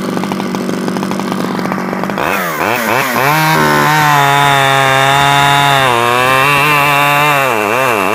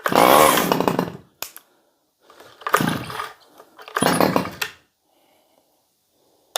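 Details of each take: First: Stihl 011AV chainsaw after a carburetor rebuild and after the spark plug coil wire was taken apart and refitted; it runs better. Revs rise and fall smoothly without stumbling: normal running. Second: Stihl 011AV chainsaw, first start, choke used: short revving bursts with rough uneven firing dropping off between pulls; running a little rich, mixture screw to be adjusted.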